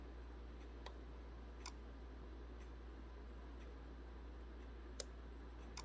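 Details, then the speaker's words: 2006 Honda Civic whose A/C compressor clutch won't engage, engine off: the scan tool toggles the A/C clutch relay, giving faint single clicks about once a second over a low hum. The relay switches normally. "So that relay is clicking on and off. Okay, I'm going to remove this relay and make sure that that is exact."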